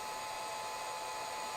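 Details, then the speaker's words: Old Windows 98 computer with a Celeron processor at power-on: steady, loud high whirring whine with no rhythm, like a jet taking off; loud whine at startup, cause unclear. "it sounds like a jet airplane taking off uh-oh I"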